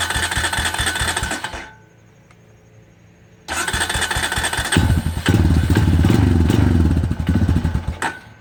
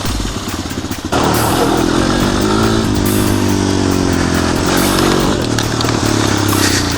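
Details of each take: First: 250EX quad sat 10 years, after tune-up and blown fuse replaced: single cylinder idles high with steady light knock each revolution; first suspected crank bearing, stethoscope locates it at clutch side. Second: 250EX quad revived after sitting 10 years, tune-up and fluids done, helmet-cam riding: single-cylinder engine pulls cleanly and evenly with wind noise; runs awesome, healthy.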